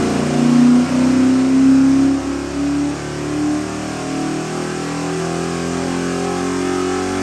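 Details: Ford 7.3L Godzilla 675 hp crate V8 with Innov8 stack injection, forged pistons and H-beam rods, headed for an AC Cobra replica, on a run demo: revs up and settles to a smooth, even idle with a steady exhaust and no knocks or misses; healthy.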